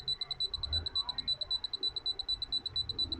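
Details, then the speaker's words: Anytek P22+ USB Bluetooth fingerprint padlock, opened, on charge: rapid, steady high-pitched buzzer beeps about eight a second; only a dim light, won't power on or charge properly; owner suspects the battery. "यसमा चाहिँ जुन charge गर्दाखेरि चाहिँ सिर्फ यसमा light मात्रै आउँछ त यो अन चाहिँ हुँदैन। यो आवाज यस्तो आइरहेछ।"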